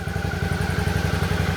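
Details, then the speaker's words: 2012 Suzuki DL650A twin, bought cheap in bad shape, running after a clutch switch/starter relay problem was sorted: even quick thumping around ten pulses a second with no misses or knocks; healthy idle. "then she started cranking over and bam she's up and running so unbelievable i can't believe that that's all it was"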